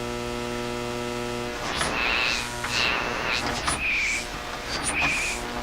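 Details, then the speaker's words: Hammarlund SP-600 receiver on broadcast band, outdoor powered antenna, running on only 90 volts: steady low mains hum with hiss, squeals and crackling bursts but no stations, all noise. "No stations. All noise."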